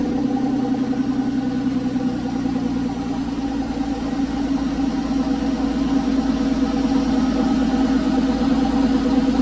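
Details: Porsche 911 996 C4S M96 flat-six, months after a ticking noise blamed on a sticky lifter, no repair done: steady, smooth idle with even hum and no ticking; normal idle.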